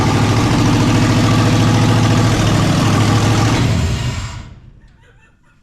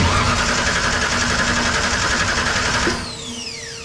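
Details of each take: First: 1963 Ford Fairlane build on 1997 ECM after rewiring ignition coils, first start in neutral: loud, deep, even rumble for about four seconds, then shut off; runs cleanly and healthy. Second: 1963 Ford Fairlane tribute with a 1998 Ford ECM, fuel pump relay jumped to give 30 psi: the starter cranks steadily for three seconds without firing. No start because PATS set a theft code and the ignition coils were wired incorrectly.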